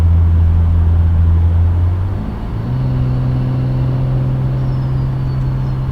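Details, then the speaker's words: 2015 BMW M235i (N55) after fitting Turner Motorsports hot-side and cold-side charge pipes to fix a boost leak from the hot-side pipe; smooth engine drone rising in pitch with revs plus a faint rising turbo whistle, now louder than with the leak; intake sounds healthy. "now that these charge pipes are on i hear the turbo so much more so it's kind of a good sign"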